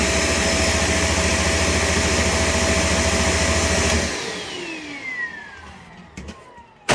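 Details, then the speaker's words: Shark Navigator Lift-Away ADV upright vacuum in bare-floor mode on soft peel-and-stick vinyl floor: steady roar with a quick thump three to four times a second, then the motor winds down; brush roll thumping the floor. "Did you hear that thing just thumping on the bare floor? Yeah, that's terrible."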